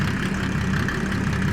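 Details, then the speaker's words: Mercedes OM606 diesel in a Land Rover build, first start after fitting injection pump and turbo, mic near the exhaust: loud steady even low drumming, quick-revving and responsive, no misses or knocks; normal idle. "She's a quick revving little monster, ain't she? Sure is. That is fast. That's super responsive. That sounds good."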